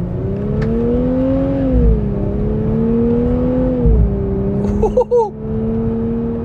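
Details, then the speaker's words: Newly bought 420 hp Nissan Fairlady Z Nismo automatic during running-in, driving through gear changes: steady engine drone with short quick pitch rises and dips at each shift, crisp rev blips; normal gearshift. "pindah gigi loh ah breubup breubup dan ini 420 HP ya"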